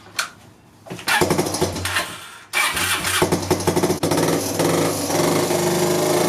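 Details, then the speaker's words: 2002 Yamaha Breeze 125 quad after top-end rebuild (new valves, piston rings, gaskets) following a bent valve from over-revving: rough, uneven single-cylinder running with light ticking, won't idle; owner suspects timing chain, then finds a blown head gasket leaking oil. "so the quad is running and riding it's making that noise and I won't idle"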